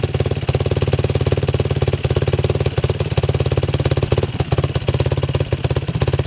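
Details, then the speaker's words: 2007 Yamaha YFZ 450 single-cylinder quad, after repair with sheet metal clamped fix and fan bypassed to a switch: strong, even thumping at steady idle, no misses or rattles; healthy, officially fixed, runs strong. "Well, I would say she's officially fixed. Holy cow. This thing absolutely rips."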